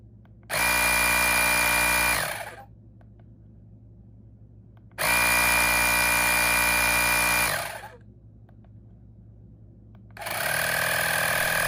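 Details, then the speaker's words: Fanttik X8 APEX battery-powered air compressor/tire inflator demonstrating its preset modes: three loud bursts of high buzzy motor-pump drone, starting and stopping cleanly, steady between; healthy. "I'm going to show you what each mode sounds like really quick when the air compressor is running. All you have to do is put it to whatever setting you want and press the middle button to get it running."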